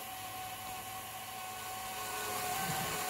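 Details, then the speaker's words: Tesla Model 3 cooling system being purged under a small hand-pump vacuum: a steady electric pump whine with a rough, bubbly gurgle near the end as trapped air, which was blocking coolant flow, passes through. "comes some bunch of air. You can hear it gurgling."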